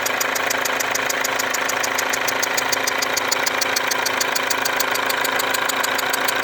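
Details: Mercedes W204 diesel with a leaking injector: sharp, even ticking about three times a second with a hiss over a steady idle, and burnt-on diesel residue around the injector.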